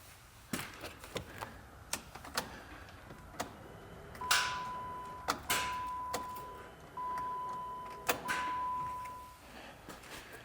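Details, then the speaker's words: 2012 Jeep Liberty 3.7 L, arrived on a flatbed: in a quiet cabin a warning chime, then a single sharp click at each key turn with no cranking; customer asked for a starter, which is being replaced, cause not confirmed. "It came in on a flatbed and the customer said throw a starter at it. And as you can hear, it just clicks."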